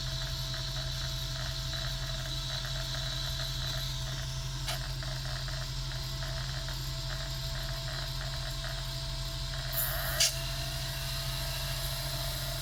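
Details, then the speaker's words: Sega Dreamcast GD-ROM drive with slow loading and read failures, suspected failing capacitors: quiet hum with constant light ticking as laser seeks repeatedly without reading, console showing "please insert a game disc". "Alright, so it has checked the disc, and look, it's going to say please insert a game disc. If you listen, you can hear it. It's going, and it's making that constant little ticking sound."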